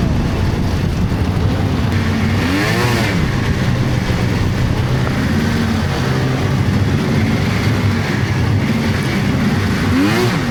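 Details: 1999 Polaris XCR700 triple two-stroke snowmobile, after adjusting belt deflection on the adjustable clutch: idles, then revs up and down cleanly with no squeal at idle or pulling away. Jetted fat; clutch engages below 4,000 rpm.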